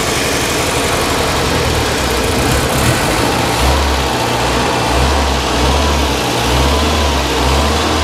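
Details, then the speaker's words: 1989 Winnebago LeSharo RV petrol engine idling with a steady low rumble after the vacuum leak was fixed, no hiss; the idle bypass valve may have been turned down too far. "definitely don't hear that vacuum leak anymore but I might need to play with the uh the idle cuz I did Jack with it"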